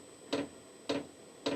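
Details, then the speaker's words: New VEVOR diesel heater, first start in a cold workshop: sharp single fuel-pump ticks about every half second, fan blowing but no combustion, still reading 13 degrees; dosing pump ticking, heater not firing. "And then we should hear the tick, tick, tick of the fuel pump. Okay, so the pump is now pumping away. You can hear it, which is quite annoyingly loud."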